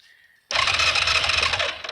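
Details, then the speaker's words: 2003 Yamaha Kodiak 400 automatic ATV, flooded, about a second and a half of fast high starter whirring with no firing; cranks but won't start, owner suspects no compression, has spark, water in oil, needs top-end rebuild. "I went through and flooded it yeah it sounds like it's got no compression but when I do start it"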